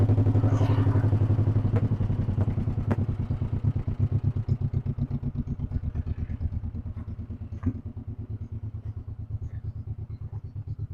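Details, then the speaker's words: 1958 John Deere 420W two-cylinder tractor, cold start, stumbled a little, now warming; slow even putt-putt about three beats a second, settling steady: normal warm-up idle. "Was stumbling a little bit as I was unhooking the cables, but I think now she's probably starting to warm up."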